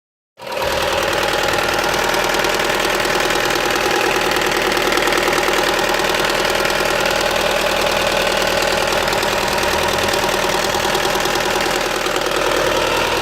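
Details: Opel Astra H 1.6 (Z16XEP) at idle: rapid, fairly regular ticking knock, about four per second, over steady idle, with engine noise from the rear area and power loss; source unclear.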